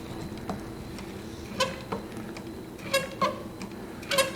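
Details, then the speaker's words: Juki LU-1508N walking-foot industrial sewing machine converted to 190 needle system with number 23 needle, slowly stitching 8 layers of 3-4 oz leather (5/8 inch) with sharp squeaks on needle strokes; suspected strain penetrating thick hardened leather. "Now notice the squeak is back, so it may just be the machine really working to penetrate that thickness of leather, and the leather is getting very hard just because it's been stitched together already, but looks like it's doing it."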